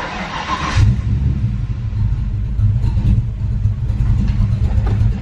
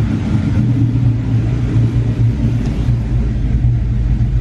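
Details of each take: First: SN95 Mustang swapped to carburettor, air bleeds backed off during carb tuning: low, lumpy idle stumbling and surging, barely staying lit, black smoke; running super rich off the idle circuit. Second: SN95 Mustang V8 converted to a carburetor, warm, idle screw turned down: steady even burble around 800–900 rpm with no misses; normal idle.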